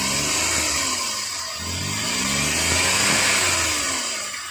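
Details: Suzuki K6A engine in DA63T, manual, with hard starting and engine noise problem; revs rise and fall in repeated sweeps with a rough coarse edge; fault noise, cause unknown.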